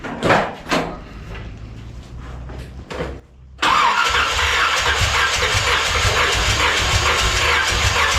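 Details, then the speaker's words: 1981 Corvette V8, engine just reinstalled and saturated with fuel, number one cylinder only warm: after cranking it settles into an uneven, galloping idle as if not firing on all cylinders. A distributor cap or coil is suspected, not confirmed. "You hear that gallop she's got? It's almost like she's not firing on everything."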